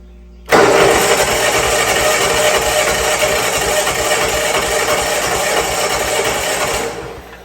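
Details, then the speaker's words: Old Bobcat 610 skid steer, Wisconsin engine, cranked on the starter with a battery charger after freeing a stuck exhaust valve: catches sharply, runs loud and fairly even about six seconds, then dies away; head gasket and a stud still need attention. "I'm gonna hook the battery charger up to it so I can crank it with the starter, hopefully. Make this a little quicker and easier now. I don't know if you see that or not, but she's working on her own now."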